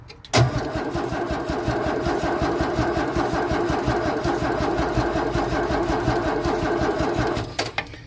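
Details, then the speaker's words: 1964 Holden EH ute, cranked with a bit of choke after the fuel lines were blown through with compressed air; the fuel pump primes, and its diaphragm had shown perishing. The starter churns steadily for seven seconds and it never fires; fuel starvation, with spark also suspected. "Nothing. Not a thing. So, back to the drawing board."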